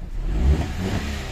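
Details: Hyundai Eon after hard-starting repair, injector O-ring replaced: short crank of about three to four counts, then the engine fires promptly and holds a steady low rumble; quick, clean start.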